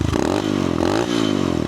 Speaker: So, right now, there is no mode on this. So, basically, this motor is going to rev a lot. It won't hit limiter right now.